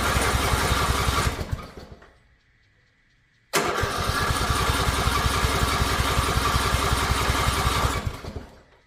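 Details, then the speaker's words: Riding mower, in park with choke on: two long spells of steady starter chugging, about three pulses a second, with no catch; engine cranks but won't fire, cause unknown. "It's just not catching. It's acting like a like it wants to, but it's just not it's not catching."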